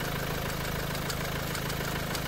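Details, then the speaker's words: Renault Duster engine idling just after adding oil treatment; faint light ticking knock still riding on steady idle as treatment not yet fully mixed with oil; cause unknown. "सध्या तर sound नॉकिंगचा येतोय पूर्णपणे oil मध्ये mix झालेल नाही अजून"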